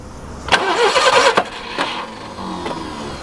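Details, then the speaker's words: Barn-find Subaru Brumby ute (Brat), previously seized and full of water: starter churns in short bursts, engine never fires; cranks but won't start, no fuel squirting through. "see if we got any fuel coming through there yeah still nothing maybe chuck some down the throat again"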